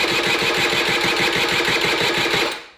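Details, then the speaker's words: Honda Vision moped fitted with a race-tuned 125cc engine, battery a little flat: quick even starter chatter that never catches, then dies; cranks but won't start because the vacuum-fed fuel tap isn't delivering fuel to the carb. "Now, I discovered a little issue, and that is with the fuel tap. Now, the fuel tap is vacuum fed."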